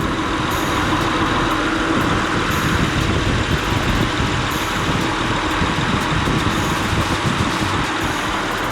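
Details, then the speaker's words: 2004 Honda Accord LX V6 after replacing radiator and AC condenser fans, engine idling with AC on: steady, even whoosh of both fans, no rubbing or rattle; both new fans working normally. "So, let's start it and see if both of them kick on."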